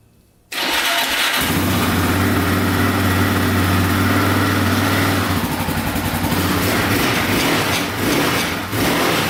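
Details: Yamaha Raptor 660R single-cylinder ATV idles lumpy, then a metallic rattle rides over the revs; owner suspects a loose skid plate and finds it missing a screw, though pressing on the plate doesn't stop the noise.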